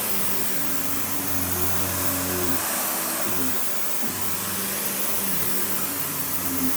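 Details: Panasonic upright, one of the last sold in the US, base plate refitted, bare-floor switch, auto height adjustment, brush roll auto-stops when upright: even motor whine with steady airflow rush, no grinding or flapping; running as it should.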